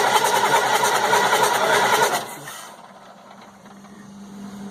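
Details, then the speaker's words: 1998 GMC C8500 with Cat 3116E diesel: starter churns in even pulses about three a second for two seconds and never catches; no fueling, injectors not firing, bad ECM suspected. "Okay, so what we have is we have no fueling. The injector is not firing."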